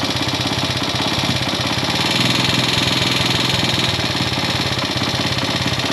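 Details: Classic Italian Gilera 124 5V lightweight, fresh off the workbench, warming up on its first proper road run: uneven beat of about three pulses a second with occasional pops. Owner suspects it is only carburation; jetting, plugs and points timing are still to be checked.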